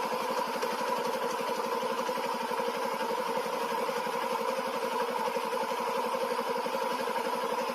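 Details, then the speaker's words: Old first-generation Yamaha Jupiter MX motorcycle at idle after repair: an even, quick putter with no knocks, smoother than before. A rough noise from the clutch housing remains when the clutch lever is pulled. "Nah kita dengar ya suara mesinnya masih menjadi lebih halus dari awal-awalnya"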